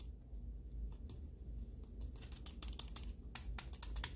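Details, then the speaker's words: Cooler Master MM710 mouse reassembled into its frame after post-travel and wobble fixes: sharp, crisp clicks in quick irregular bursts, switches working normally. "you should be putting it back into the frame just to make sure everything is working fine make sure the mouse is clicking"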